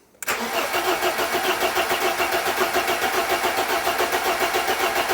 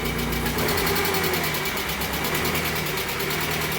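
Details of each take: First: Barn-find 1980s BMW E30 M Sport homologation car, fuel-injected, parked for years: steady cranking at about 3.5 pulses per second with no start; no fuel pump priming sound heard. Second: Barn-find 1980s BMW E30 M Sport, parked for years, first run after the dead fuel pump: steady, even idle with smooth regular firing and no knocks or misses.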